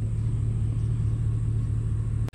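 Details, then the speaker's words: Abandoned Mazda Miata with exhaust cut off under the driver floorboard; loud unmuffled drone with a lumpy, rough idle, owner suspects ignition timing and plans to check it. "we'll try and double check and make sure the timing is is set i don't know but it sounds like crap"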